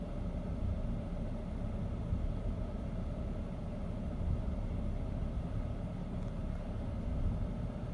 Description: BMW 528xi 2008 model having rough idle